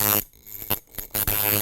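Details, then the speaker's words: Coil tattoo machine on 6 volts after lifting the front spring and changing its angle, contact screw reset with alignment tool: short bursts of steady even buzz with a long stroke and much more force; runs strong and clean. "And you can fool with this angle a little and mess with your stroke, and now you can see that it's got a nice long stroke. And it's got quite a bit more force."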